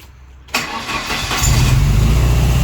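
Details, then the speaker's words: Turbo Ford Escort Mk2 run lean at 30 psi boost, lifted cylinder head, little coolant left, smoke from exhaust: cranks, catches, then lumpy stumbling idle; misfire from blown head gasket, low compression expected. "lifted a cylinder head so now when you start it I can't write it along because obviously hasn't cool much coolant left in it"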